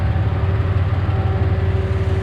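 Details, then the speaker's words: Car with 4.0 engine that normally has a slight tick, after an engine lockup: idle throbs unevenly about ten times a second, tick louder, heavy vibration; owner suspects one dead cylinder, no check engine light, possible water loss/head gasket. "i mean i'm sure you guys can see we got a nice vibration going on [Music] the thing is jumping all over the place and it's not supposed to do that so yeah"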